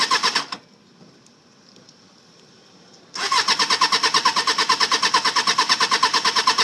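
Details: 1995 Suzuki Katana 600 that ran fine after purchase but won't start after sitting overnight, previous owner blamed the battery: even starter churn at about three beats a second after a brief pause, engine never catches or fires.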